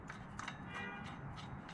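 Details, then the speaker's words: Losi 5T 2.0 gas RC truck, engine pulled and turned slowly by hand: faint scraping rub with light clicks around the cooling fan fins and clutch; owner suspects debris or loose hardware, gear slightly sloppy, cause unconfirmed. "rubbing i don't know if you guys can hear that right there rubs rubs that's that noise i'm hearing"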